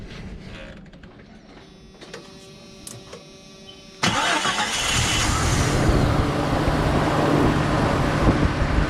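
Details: Jeep Cherokee 4.0 first start after rebuild and reinstall, O-ring leak fixed; catches at four seconds, loud idle with fast metallic rattle; last two bellhousing transmission bolts not yet installed.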